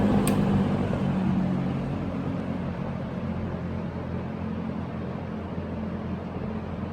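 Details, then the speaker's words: Early-1970s Electrohome 652-1 20-inch two-speed box fan, on low: deep steady rumble from steeply pitched metal blades with soft even hum, no rattles or scraping; draws 1.24 A, runs smoothly. "I've always liked the way teased fans sound a very deep rumble sound from the metal blades they're very quite steeply pitched too"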